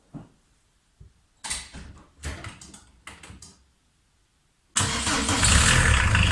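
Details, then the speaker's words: VW T3 Vanagon 1.9 diesel fitted with a 1.6 injector pump, warm after a drive: a few clicks, then it fires at once into an even, steady clatter. Normal diesel idle. "That said, the engine's warm there now, so just drove it, but I'll give it a quick start, and you can just, at least you can hear it run."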